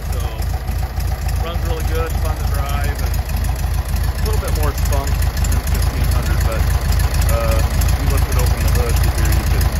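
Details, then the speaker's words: 1967 VW Beetle with rebuilt H 1500 air-cooled engine and new clutch: steady, even chuffing idle about three and a half beats a second, music in background; smooth, healthy idle. "so it's it's actually a brand new motor rebuilt brand new clutch everything so um runs really good"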